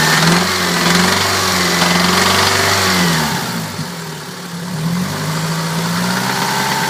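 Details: 1992 Toyota Celica 5S-FE engine idling, then dipping and picking up on the throttle, with a light metallic rattle over the hum; source unidentified.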